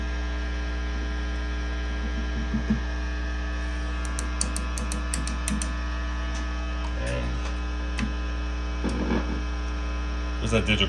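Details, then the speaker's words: Mesa/Boogie Mark V tube amp in for fizz and lost definition: tapping the preamp tubes gives sharp crackly pops over constant low mains hum. V1, V2, V5 and V6 are microphonic; sockets to be cleaned. "all right so so V1 2 5 and six are microphonic"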